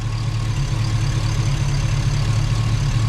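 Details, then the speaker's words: Chevy Tahoe rebuild, freshly installed ATK 5.7 LS V8 on first start with a break-in tune, fans on manually. Oil pressure about 40 at idle, 60 revved. Low, even idle rumble, steady beat, no knocks or ticks: normal idle. "Feels like everything's working though. Haven't checked the shifter yet. Need to rev it back up. I don't want to let it idle too long. All right, she's running."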